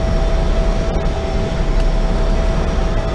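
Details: Cummins ISX15 diesel truck started dead cold right after an oil change: steady deep rumble at idle with a faint constant tone as the air system builds pressure; good oil pressure, runs even, normal idle.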